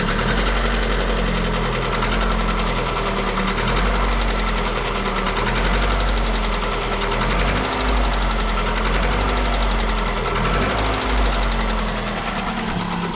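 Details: Engine with a knock that is louder cold and eases a little when warm: rough idle with a low, regular knock appearing as revs sag and settle; suspected crank-connecting rod related, piston pin play to be checked, unconfirmed.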